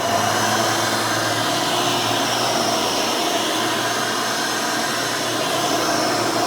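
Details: Hoover Elite 600 upright vacuum rebuilt with a new 7 amp motor and a retrofit 20-blade fan from 12 amp models: loud, steady airy roar with an even high fan whine, no rattles or surging; runs smooth, fairly quiet, almost like the original 6 amp.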